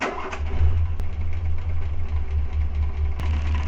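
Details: Renault 4L with the Cléon 1108 cc engine, points ignition being tested with the Grand Laurent electronic module: low idle with a lopsided, uneven beat and sharp spark snaps. One cylinder dead, running on three.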